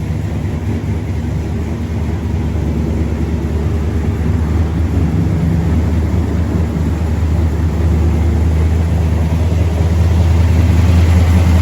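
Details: Normal idle of a big-block V8 in a squarebody truck ("Brown Bear"), started after a possible dead battery. A deep, steady low rumble that stays smooth and builds slightly as it warms; it sounds awful good.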